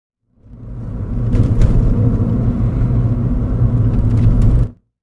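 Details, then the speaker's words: Front suspension over bumpy patched road and bumps after DIY front stabilizer bar bushing replacement (new 18mm-ID rubber bushes on 20mm bar) on VW Polo 9N3 GTI 1.8T past 200,000 km; rough-road rumble and tyre thumps, previous creaking gone, no squeak. "ギシギシ音が出やすいのは今のような段差を乗り越えた時ですけれども結果良行路面に高低差がある交差点の左折なんかでもギシギシが出やすかったんですけれどもピタッと収まって嬉しいですね"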